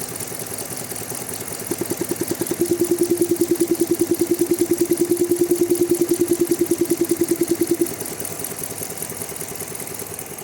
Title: Grand Cherokee clicking noise from engine side !! #shots #grandcherokee